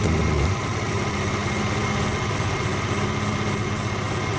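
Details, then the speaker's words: Suzuki Carry Extra with engine shaking: lumpy, uneven idle with a loping beat about four a second. Suspected dead spark plug or too-narrow contact points gap; the spark plugs are checked with the engine running. "kemungkinan ini busi mati atau platina kurang renggang teman-teman"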